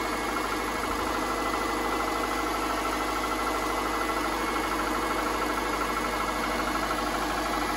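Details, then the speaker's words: 2005 Subaru Impreza 2.5 L non-turbo engine on cold startup after sitting a few days, recorded near the engine's center: dull, rapid knocking clatter of piston slap, which quiets when fully warmed. "so if your car sounds like that it is piston slap"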